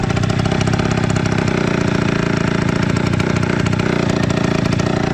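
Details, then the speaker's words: Aprilia SR 50 two-stroke scooter idling: rapid raspy idle with sharp puffing chuffs on every firing, louder and harsher than normal; loose exhaust leaking more at the cylinder flange after being pushed. "On va essayer d'empirer encore. Ouais, là il fuit encore plus. Donc ça ne doit pas améliorer les performances non plus."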